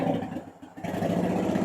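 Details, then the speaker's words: 2010 Honda Shadow Phantom twin, freshly started after replacing trashed fuel injectors (16450-MFE-641), warming up: quick, even pulsing idle with no more hunting up and down; runs clean after repair. "You guys hear that? No more up and down, up and down. That was perfect."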